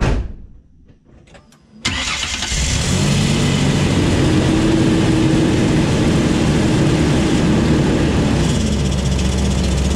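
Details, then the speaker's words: 2004 Ford Ranger XLT FX4 Level 2 after a muffler replacement; it was very loud before. Starts and settles to a steady, even idle with a soft, low exhaust note; only normal engine noise remains. "Now all I hear is the engine noise. Which I think is normal. So I'm gonna call that a win."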